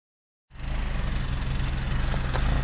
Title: Toyota Camry engine idling.misfire